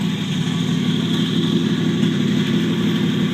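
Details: 1949 Chevrolet Deluxe 4-door, first run of a replacement engine swapped in for the locked-up original, no exhaust fitted. Steady, even idle with loud raw bark from open pipes, no knocks or misses; healthy, normal idle.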